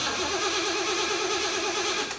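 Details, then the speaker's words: Supercharged Jeep BJ-5 with mechanical fuel pump, hot-wired after sitting over a year: steady starter whir turns the engine over without catching, then winds down; cranks but won't fire, no fuel, gas believed evaporated. "there's nothing coming out I'm checking fuel does it have a mechanical fuel pump yes okay let's give it some more okay no gas I'm sure it all evaporated out"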